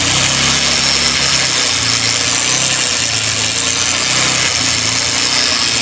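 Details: Bajaj Pulsar 150 single-cylinder idle buried under a loud, harsh, constant metallic rasp; the engine sound is clearly abnormal and the cause is not identified.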